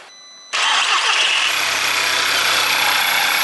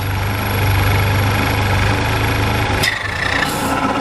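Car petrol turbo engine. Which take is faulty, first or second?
first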